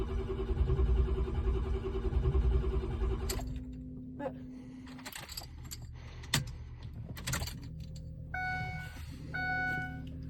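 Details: Starter turns the engine over evenly for about three seconds but it never fires, then only clicks and jangling are heard. Crank, no start.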